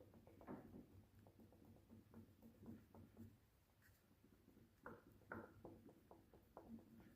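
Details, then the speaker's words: Peugeot 206 right-side forged front control arm, ball joint rocked by hand: irregular sharp clicks and knocks, about two a second; bushings intact, much louder on the car under load over bumps; worn ball joint knock. "Всем привет Это у нас рычаг правая сторона Peugeot 206 тут застучала шаровая и сдавала очень сильные громкие звуки на любых"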